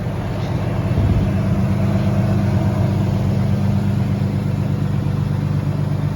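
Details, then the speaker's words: Turbo BMW E36 on first run after build, coolant bled about 10–15 minutes: deep, even exhaust rumble at steady idle without hunting, misses or rattles; idling essentially perfect. "You can hear that exhaust. Now that exhaust, to me at least, sounds great. I don't know how it sounds to you guys. It's idling pretty much perfect."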